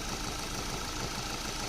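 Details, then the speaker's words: Maruti Suzuki petrol engine at idle after spraying WD-40 on the drive belt that squeaked on cold, rainy mornings: steady, even idle with no squeal or chirp. "It's smooth now. See? No sound."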